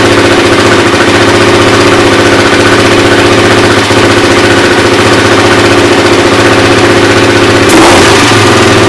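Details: Suzuki LT-R 450 quad after CDI replacement, battery charged, air filter off, choke likely on: single cylinder thumping at a steady, even idle with no misses or stumbles; carburetor seems fine; normal idle.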